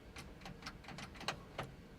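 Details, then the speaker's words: 1970 Chevrolet K10 4x4 pickup, first start attempt after sitting 26 years. Quick light ticking of about four clicks a second and the engine never turns over. The owner suspects the battery cable or connection. "still no crank well I got a little Funk action Let's uh clean up that battery cable and make a little bit better wire or a jumper wire or something for over there and then try it again"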